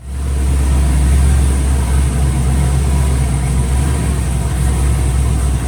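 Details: Truck after transmission rebuild with new torque converter and flex plate: steady, even low idle rumble with no knocks, clunks or surging; engine and driveline sound healthy.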